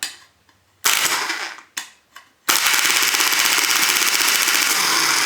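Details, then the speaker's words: Bench test of a Volvo EC14B/EC15B mini excavator starter motor: a few clacks, then fast steady solenoid chatter at about 3–4 cycles a second. The hold-in coil is open, so the pull-in coil engages, releases and repeats. "Then it obviously there's no holding coil to hold it there. So it will come back and then do the whole cycle again and jutdder. So that's that problem."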